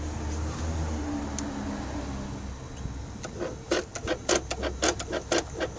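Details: Mercedes S500 electronic throttle (E-gas) actuator, engine off with ignition on, activated: soft motor hum then sharp uneven ticks about twice a second as the throttle gears turn; no dash lights, acceleration fine, control module OK; normal actuator operation.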